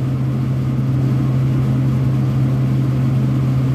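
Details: Vertiv Liebert PDX precision cooling unit, compressor run manually at about 50 percent capacity; a steady low hum with a noisy fan and no knocking or rattling, running normally.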